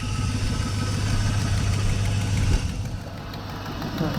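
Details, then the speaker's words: 3rd-gen truck idling with AC off after fitting a junkyard A/C compressor that is not yet charged; steady, even idle with a smooth low drone and no compressor knock or rattle, only a slight power steering whine noted. "Now what I'm going to do now is I'm going to start the truck up with no AC or anything on. I want to see what it sounds, what the difference sounds like, how it sounds. So here we go. Let's see what happens. Look at that. Woo. She's nice and quiet."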